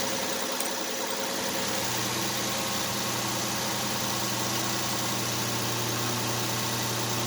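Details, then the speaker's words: 2010 Nissan Maxima 3.5 V6 after replacing bad ignition coil for cylinder 5 P0305 and multiple-cylinder misfire codes, codes cleared: smooth steady idle, no misfires, no putting, no smoke; fixed. "let's go ahead and fire it up see what happens so far running pretty smooth seems to be running all right"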